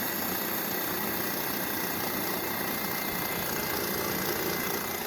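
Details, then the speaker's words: Wagner Paint Crew power sprayer after its outlet valve was cleaned, switched over from prime: the pump keeps droning and buzzing steadily and never shuts off, and the hose vibrates; the pressure control was gummed up, then freed. "shutting off all the way and that hose is vibrating I read about that a lot of forums on that and my free lockers just gummed right up with me so I freed that up"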